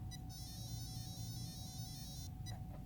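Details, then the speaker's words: Castle Creations ESC calibration with Traxxas radio, LiPo battery connected: long steady electronic tone then short beeps after full throttle and full reverse applied; full-reverse point registered. "apply full throttle power on our speed controller and wait for tones to admit after those tones are emitted we'll give it a full reverse"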